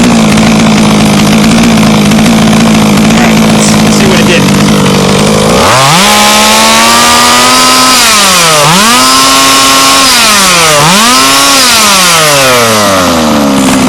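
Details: HPI Baja 5B two-stroke: crisp revving, pitch climbing and falling with each blip, no bogging or stumble at the top end; normal high-rpm revving.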